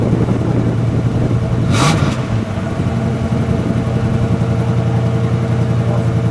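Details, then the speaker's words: Original 1974 Plymouth Satellite Sebring Plus, standard 318 CI V8, owned since new: steady low burble at idle, a quick rev blip, then back to an even idle; sounds great, though owner notes a loose power steering belt. "There we go. Also, I got a loose belt power steering belt. She sounds good. No, she sounds great."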